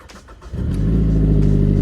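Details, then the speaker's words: 2012 Mazda 3 Skyactiv 2.0 started after replacing the ignition coil packs: quiet crank, then it catches at once and settles into a smooth, steady idle; a clean, healthy start. "Final thing you must do with your Mazda is turn it on to see if it works and take it for a test drive."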